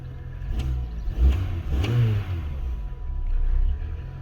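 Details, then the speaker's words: 2003 BMW Mini Cooper that cranked but wouldn't start, with no fault codes and no fuel pressure at the Schrader valve, now started after tapping to prime the fuel. Catches and revs cleanly in quick blips, then runs smooth without misfire. "There we go. We are good to go."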